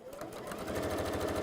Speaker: Here we go. Purring along. A bit like you, HP.